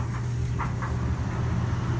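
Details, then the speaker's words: Panda PAN760SF 3.75 cu ft dryer, about 9 months old, running after the warranty motor replacement: a steady even hum, with some noise still from the back, but the earlier loud grinding and grating noise is gone. "I mean sure it makes the noise because there's a Dan Drennen in the back but the grating noise is gone"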